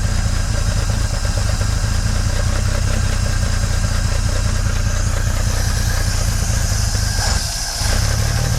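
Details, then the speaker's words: 1950s Dodge Meadowbrook old six after generator and electrical fixes, engine still cold with strong fuel smell: low, lumpy, loping idle that never settles, with heavy shaking; rough idle, cause not yet found. "Doesn't sound too happy though, does it?"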